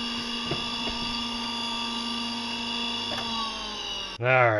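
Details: Salvaged used electric motor with propeller, reassembled after troubleshooting an abnormal sound: brushes checked, screws oiled. A steady motor hum and high whine with some rasp from rough gears, no knocks or rubbing. Running normally.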